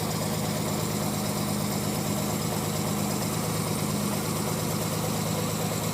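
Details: Non-turbo Nissan R33 (Skyline) cold start after sitting about 2 days: rough uneven idle with misfire stumbles, smooths out after about 10 minutes warm-up; coilpacks, injectors, gasket, fuel supply tried and seem fine, cause unknown.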